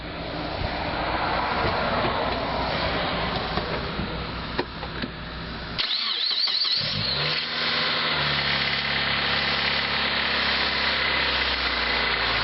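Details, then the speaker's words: 2002 Mitsubishi Lancer OZ Rally, just after replacing ignition coils (OEM), NGK BKR5E-11 plugs gapped .044 and plug wires: cranks, catches quickly and settles into a steady, even idle with no misses; normal. "Well, there she is, running like a top."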